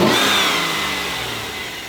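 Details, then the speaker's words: GMT800 truck 5.3 V8 (Yukon/Tahoe/Suburban) with newly installed Moosun aftermarket air intake: quick rev falls away with a loud airy whoosh, almost boost-like intake suction; engine healthy; loud intake induction noise. "almost sounds like a boost thing almost the intake suck in the air in is louder"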